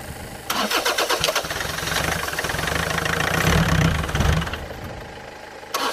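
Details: Land Rover Freelander 2.0 TD L-series diesel farm vehicle cranking steadily at about four beats a second with no firing; bubbles were seen and a loose, leaking fuel pipe was found, likely letting air into the fuel.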